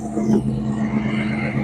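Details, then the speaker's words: 1935 Ford deluxe with a 302 Boss V8, idling after first start in decades: steady, even low rumble with a smooth firing beat and no knocks or misses; idling healthily. "I know Dave inside's going to be just stoked that it's running again."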